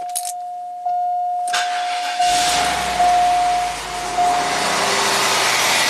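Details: 1993 Cadillac Allante V8 after idler pulley and belt repair: door chime, short crank, then the engine catches cleanly and settles into a smooth, even idle with no belt squeal.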